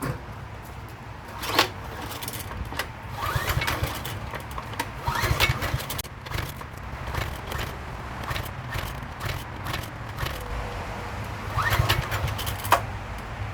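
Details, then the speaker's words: Coleman PowerMate 5000 generator, sat unused, freshly fueled, fuel on and choke set: repeated rope pulls give scraping, rattling bursts with no firing, not even a putt; cranks but won't start, spark check next. "Alright, nothing, not even a little putt."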